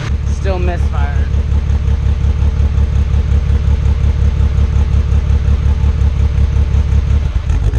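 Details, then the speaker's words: Nissan R32 Skyline GTR, just started and not yet warmed up, after a fuel pump connection fix and a check of the coil packs and plugs, which looked fine. It idles with a heavy, lumpy chug, stumbles and dies: engine misfire, owner suspects the tune. "it died something's really wrong it might just be the tune because those plugs all looked fine wow it shouldn't be chugging like that"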